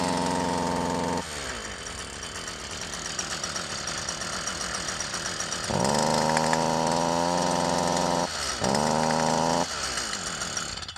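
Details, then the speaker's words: Stihl FS 55 R two-stroke trimmer with an oil-soaked, carbon-plugged exhaust screen/spark arrestor in the muffler, fuel mixed with too much oil. It sounds dull, very quiet and muffled, surging and dropping without revving, puffing smoke, extremely rich: bogging from plugged spark arrestor screen. "you can hear it sounds incredibly muffled and it's puffing smoke so one thing you can tell by the the color of that feel it's extremely rich"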